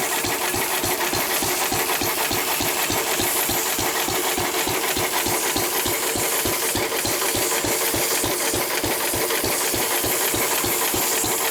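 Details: 1923 3.5 hp Emu (rebadged Hercules) stationary engine, restored early 1980s, first start in 20+ years, after oiling a sticking magneto/exhaust valve linkage: brisk regular chuffing around two hundred beats a minute, no stumbles; normal hit-and-miss running.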